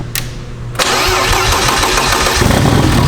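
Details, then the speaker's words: Boosted BMW E36 first start on a Link ECU with 1000 cc injectors and open downpipe: starter spins briefly, engine catches first try, runs raw and loud and idles; normal start-up, though oil dripped onto a pulley. "but it started and it sounded great well okay it's open down pipe so obviously didn't sound that good but I can't attest that was first try"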